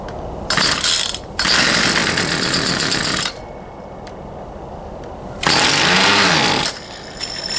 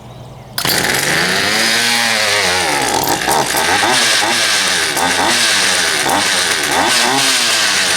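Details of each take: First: Poulan Pro 222 38cc chainsaw that won't start, fuel return line previously found missing: rapid rattling pull-start cranking with brief sputters, never catching; suspected carburetor fuel delivery issue, later traced to misrouted fuel lines. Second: Poulan Pro 222 38cc chainsaw after the fuel lines were re-routed correctly and a new air filter fitted, started on choke: it fires within a second, then revs cleanly up and down with the throttle without stumbling. It now runs properly.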